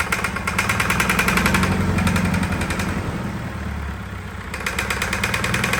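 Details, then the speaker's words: Fire-damaged diesel in 1989 Sambron D2000 telehandler after wiring-fault fire; heavy uneven hammering knock near four per second as the injection pump spins out of balance, its rubber drive coupling gone. "it was trying to throw the pump around in there was it you know it went out of balance oh cuz the it had a rubber coupling"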